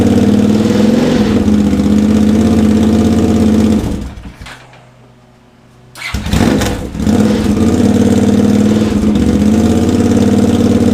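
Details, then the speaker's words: Honda GL650 on its first start after a full rewire, with stock headers, a crossover, a merge and a Cone Engineering muffler: it runs at an even, steady beat, shuts off, then fires right back up and idles smoothly, sounding healthy; normal idle. "it's probably good for the first start the smoke it's baking the paint onto the pipes and the heat wrap and whatnot this sounds really good right"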